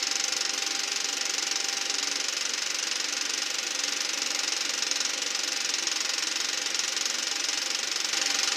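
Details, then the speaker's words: Eberspacher B1 gasoline heater from a VW Beetle, bench test without battery charger: steady puttering tick about three per second under constant hiss, fuel pump running but no ignition; voltage dropped from 14 to about 10 volts. "Well, so far I don't hear any ignition. That's the fuel pump that's making that puttering noise."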